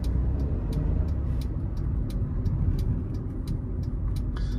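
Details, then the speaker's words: Hyundai HB20 1.6 automatic 2014/2015 at about 108,000 km, driving: irregular light ticking two or three a second over low road rumble, a small rattle from the dash multimedia head unit, which needs fixing. "esse barulhinho aqui ó é isso que faz barulho no carro"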